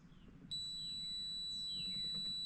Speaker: i don't know if you can hear that but it's definitely beeping and the water is definitely low if i tilt this to the to where the float raises and the beep went off